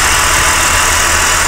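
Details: Holden Commodore V6 idles after the failed bottom drive belt idler pulley bearing was replaced: a loud, steady idle with a constant low drone and airy hiss, no squeal or chirp from the pulleys.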